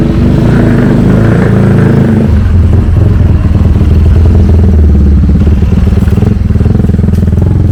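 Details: Honda CT70 Trail 70 fitted with a swapped-in 212cc engine, first kick-start with strong compression: small single thumps and steady, even firing pulses that rise cleanly with throttle; the engine runs healthy.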